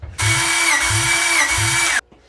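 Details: Freshly rebuilt Honda B16 in a Civic, cranked for a compression test on cylinder 4 (read 160; others 155–175): starter whirrs steadily with a strong, even thud about every 0.6 s; healthy cranking, good compression.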